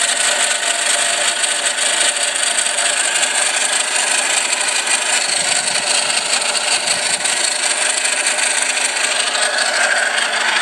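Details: 1999 Isuzu Rodeo 3.2 V6, 2WD automatic. Constant dry scraping at idle that goes away at 2,000 rpm. Owner suspects worn bearings in the off-centre idler or hydraulic tensioner pulley; not oil ping.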